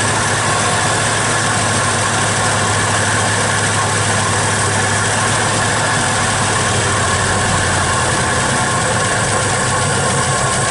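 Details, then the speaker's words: 1961 Studebaker Champ truck being started again; smooth, constant idle, even low rumble with no knocks, misses or surging, idle possibly to be set slightly higher; normal idle. "I think I'll set that I go up a little bit but sounds like it's running pretty decent to me"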